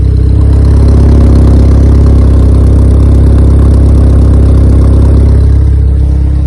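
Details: Honda EK Civic with a freshly built Vitara D16 turbo engine on its first start-up, radiator cap off; loud steady deep drone at a fast idle that never settles, stuck near 2000 rpm. Owner thinks it is an ECU setting and suspects the throttle body.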